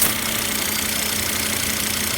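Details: 2006 Volvo XC90 AWD 2.5 L petrol, service engine light on, idling low and abnormally since morning start-up. A strong, steady hiss from air sucked through a leaking vacuum hose causes the rough idle.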